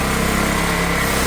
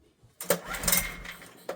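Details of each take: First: Old Honda generator stored 20 years, running on choke with throttle held open, powering a drill; even steady putter, no misses or surging; carb issue suspected, air filter missing. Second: Old Honda generator stored 20 years, barn find, air filter missing, choke on; three pull-starts, each brief rough churn never catching, engine trying but not firing.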